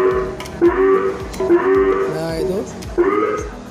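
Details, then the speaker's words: TOA 20 W mosque power amplifier (model heard as "o7w"): at power-on, a very loud wavering siren-like howl and squeal rises and falls about once a second from the speaker output, and mic/audio input gives no sound; shorted output driver transformer winding. "Jadi ini kalau dinyalakan kalau power amplifiernya dinyalakan perusahaannya ding ya suara ah keluar output-output suaranya kayak gini"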